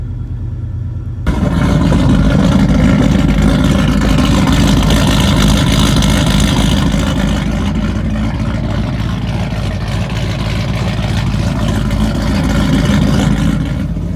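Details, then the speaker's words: 1996 Ford F350 460 started very cold right after ignition coil replacement: engine catches after a second and runs with a strong, even beat and a slight rev, no stumbling or misfire; healthy running. "all right boys she's running and that is how we do it here in michigan"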